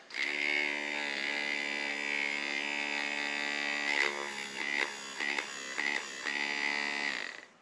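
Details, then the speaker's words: Walker zero-turn mower implement-mount linear actuator motor, greasy but turning freely by hand, bench-tested on a battery with the leads reversed: steady even high whir, brief stutter on lead switch; a working motor. "so perfect so now we have a working motor"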